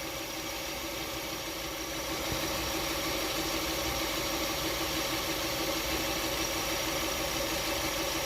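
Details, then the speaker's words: Hyundai Tucson with a squeak: after the fix, engine idling with alternator, water pump and power steering belts spinning and the AC belt held still; smooth, even idle, no chirp or squeal, belts quiet and healthy. "I'm holding the AC belt here so that it will stop spinning. Alright, seems like it's doing okay."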